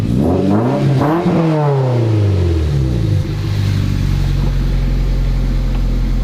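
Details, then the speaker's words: MR2 Spyder (engine-swapped) revved after replacing a rattling muffler with a broken baffle by a Top Speed resonator: revs rise and fall to smooth steady idle, no rattle or buzz; healthy exhaust, pipe touches catalytic converter pipe, may rattle later. "what do you think sounds all better so I didn't hear any rattling I didn't either"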